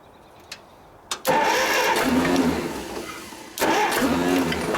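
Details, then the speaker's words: Old Detroit Diesel two-stroke four-cylinder dozer, once water-filled, cranks, catches and runs rough and uneven on about a cylinder and a half. Compression reads 150, 90, 0, 0, showing two dead cylinders, before trying the Bon Ami trick. "uh so it's got two completely dead holes so i guess this will be the bon ami trick"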